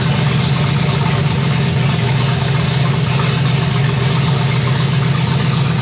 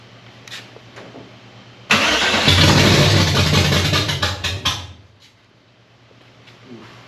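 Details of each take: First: 1965 Chevy Nova wagon with a 327 small block on an Edelbrock Performer RPM Air-Gap intake, first fire: a loud, deep, steady idle through open pipes with no misses or knocks. Oil pressure is 30 lb and water 180°F. Normal idle. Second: 1965 Chevy Nova wagon, 327 small block with Edelbrock carburetor, first fire: cranks, catches, runs rough about three seconds then dies as prime burns off, no fuel yet in filter; stalls from fuel starvation.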